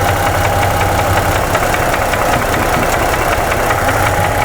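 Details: 2017 Ford F150 3.5 V6 with new phasers and chain installed; sharp regular knocking ticks over loud steady idle; knock doubled when cylinder 2 coil unplugged, no change on others, cause suspected not confirmed; engine knock at idle.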